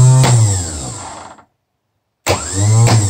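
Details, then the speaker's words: Rebuilt BMW Airhead 8-tooth starter bench-tested off a battery pack via the number 50 spade connector; two short clean whirrs spinning up and down, no grinding, fork engaging the gear drive nicely; normal starter motor spin. "Sounds good? No grinding noises. No grinding noises. Nice engagement of our fork with the gear drive."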